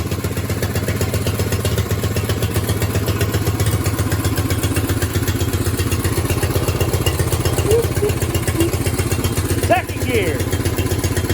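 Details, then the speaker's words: Old Craftsman walk-behind mower, sat a couple years with a crusty carb: single-cylinder engine putters evenly at steady idle, a touch fast but idling down well; idle speed slightly high, needs small adjustment. "i'll need to adjust the idle a little bit but it idles down pretty good and we kill her"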